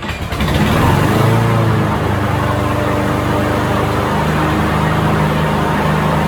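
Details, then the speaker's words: John Deere walk-behind mower with a Briggs & Stratton 725 engine and auto-choke carburetor, in over 100°F heat, after a carburetor replacement for a no-start; it fires and settles into a steady, even drone with no surging. "okay so the mower runs perfect uh without issues and um now we have a unit to give back to the customer that runs just like like it was straight from the factory"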